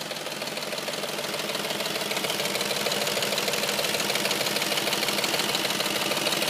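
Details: Audi S4 petrol engine idling warm, with a loud, steady, fast ticking or knocking over the run that only appears once the engine is warm.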